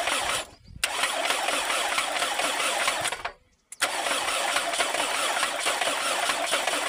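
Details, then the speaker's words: Toyota 7A-FE engine with a sharp ticking knock in the cylinder head over the idle. It began after running low on oil when leaking spark plug well seals fouled plugs. Owner suspects a broken valve where the cam lobe presses the tappet shim. "Вот здесь когда проворачивается распредвал кулачком нажимает на шайбу. толкателя. И в этот момент происходит звук, как будто бы что-то с клапаном, как будто бы он, наверное, оторванный."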